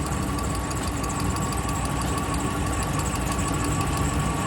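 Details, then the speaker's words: Dodge/Ram 5.7 Hemi V8 idling right after both exhaust manifolds were replaced with new hardware and gaskets: light intermittent lifter tick that comes and goes, not an exhaust leak, getting quieter as it warms; slight belt squeak. "As you can tell, it's not consistent. Kind of comes and goes."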